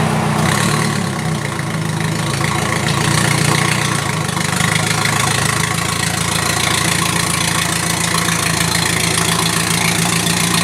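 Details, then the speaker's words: 1999 Audi A4 1.8T quattro, 145,000, loud raw idle with rough raspy pulsing from an exhaust leak at the engine-to-front-pipe catalytic converter joint, muffler not connected. "This is my new car, Audi, but the muffler isn't connected. The muffler muffles the sound."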